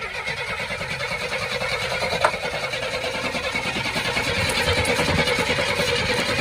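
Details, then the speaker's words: Oldsmobile Cutlass after fixing the transmission vacuum fitting and reattaching its hose: starter turns the engine steadily at about three beats a second but it never catches, same as before; cranks but won't start. "it ain't dead it's just doing the same thing we did before"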